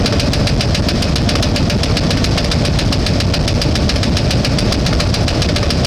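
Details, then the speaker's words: One-ton truck engine with a known knock, run with transmission fluid added to the oil as a cleaning attempt: loud, heavy rapid banging at a rough idle, still knocking and now misfiring; owner suspects he disturbed the ignition system. "so it is uh still banging but uh we're just going to let it run and see what happens it is missing so I think I've messed something up in the ignition system"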